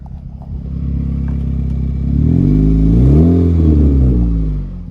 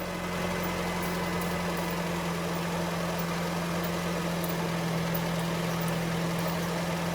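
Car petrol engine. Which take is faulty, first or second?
first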